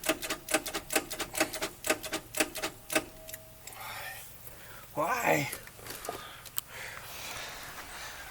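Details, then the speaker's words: 1953 Oldsmobile Rocket Super 88 barn find: rapid dry solenoid clicks, about four a second, starter never engages or cranks; one plug out and grounded for spark test. "I go to turn the key over and guess what the starter doesn't engage all that works is the solenoid you can hear the solenoid clicking that's it"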